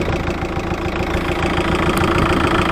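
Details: VW Touran BKD diesel with new tandem and lift pumps, after fitting a Racor S3213 fuel filter to cure hard hot starting and stalling; steady diesel clatter at idle, even pulses, no stumble or hunting, running smoothly.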